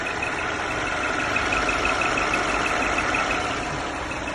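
Over a steady idle there is a thin high-pitched whistle that holds its pitch; something on the engine is whistling, cause unknown.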